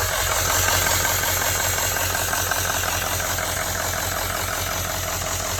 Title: Hissing noise near turbo